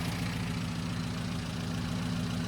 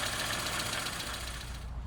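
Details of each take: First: Mini 1275GT with newly fitted rebuilt fast-road HIF44 carb replacing a worn-out unit: smooth, even idle, steady low hum, no stumbles or hunting; running very efficiently and lean. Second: Mini road racer with a 998 A-series engine at idle, sounding rough: an uneven, lumpy beat that stumbles now and then. The owner reports it is not running 100% smoothly.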